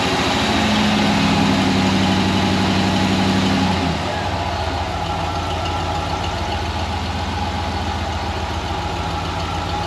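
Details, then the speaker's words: Ford 302 V8 Econoline van, first start after replacing bent #5 intake pushrod (suspected stuck valve), fuel system re-primed, cold. Fast cold idle drops to lower idle after about four seconds; even firing on all eight, no ticking or clatter. "so it's running appears to be running on eight but we're not clattering uh i'll let it warm up here"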